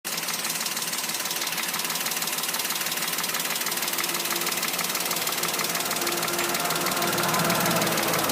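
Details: Toyota Wigo engine: sharp regular metallic tapping about three times a second throughout, above the engine note; knock of unknown cause.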